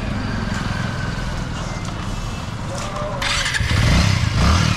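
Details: Motorcycle chain and sprocket after the noisy-chain fix of fitting a chain lock and applying grease: the engine pulls steadily and builds a little at the end, with no slap, rattle or grinding, so the drive sounds smooth.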